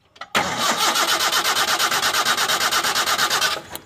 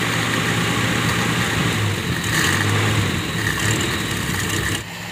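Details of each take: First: Toyota Kijang no-start, after rewiring the coil through its resistor and confirming spark at the coil lead: starter churns evenly, about four compression pulses a second, for three seconds without catching. Cranking no-start, cause still unfound. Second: Toyota Kijang that would not start because of a burnt-out ignition coil, now running after the ignition fault was traced and fixed. Steady, even petrol idle with a low hum and no misses or knocks; normal idle.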